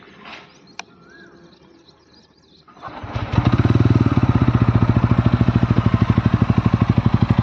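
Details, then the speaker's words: TVS Ronin 225 motorcycle at 495 km, just back from a week at the service center for an engine noise problem: quiet, then the engine catches and settles into an even, steady thump about three beats a second; normal start and idle. "गाड़ी का जो sound normal sound है ये ऐसा ए रहा है तो इससे तो यह साउंड बटर है काफी अच्छा ए रहा है नॉर्मल साउंड है इंजन का"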